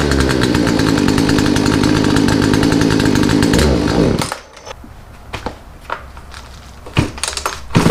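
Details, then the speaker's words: Poulan chainsaw after a Zama carburetor rebuild kit and new filters: screams at high revs for about four seconds, then sags and dies to sputters. Owner suspects the carburetor setting was too low; fuel supply is suspect. "I'll take carburetor back off, check my adjustments. I think that I might have had to set way too low,"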